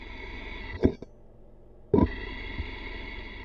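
Smooth, steady hum through a stethoscope on the water pump: the bearing sounds healthy, with no grinding or rumble.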